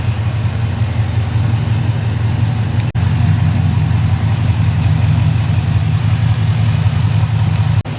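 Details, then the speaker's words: Dodge Charger Hellcat V8 after repair: deep even idle with a steady low rumble and no misses. The short runner valve code is gone and it idles much better. The check engine light stays on only because the AC pressure sensor is missing. "Other than that, she's running a lot better. You can see that it's idling a lot better, too."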